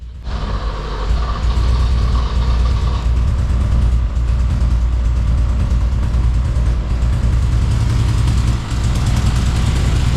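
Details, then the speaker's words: 80s BMW 528i E28 ex-drift car, long unused, starting after letting the fuel pump prime: steady, even low idle rumble with no knocking or tapping; engine sounds healthy. "But it doesn't sound like an attack or anything. I mean, it actually sounds really good."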